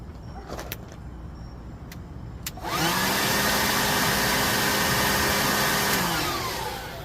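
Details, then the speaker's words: Home-built turbojet from a Turbonetics T3 turbo, just barely warm, oil on: clicks then a rush of start air and a steady rising whine that holds and fades; turbine spinning freely before jet fuel and propane lighting. "Startup air. I can hear the turbine spinning good."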